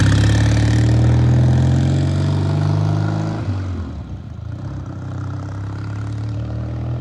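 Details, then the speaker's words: Vintage British motorcycle just restarted after long restoration, warming up in shop: strong even low thump, one rev blip dropping back cleanly to settled idle; engine running healthy. "that is coming to life it's alive it's alive all right we're going to let this sit here and warm up then we'll take it outside"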